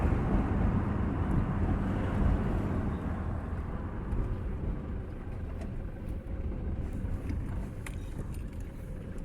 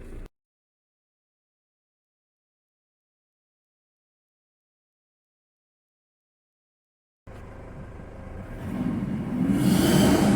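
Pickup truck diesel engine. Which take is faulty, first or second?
second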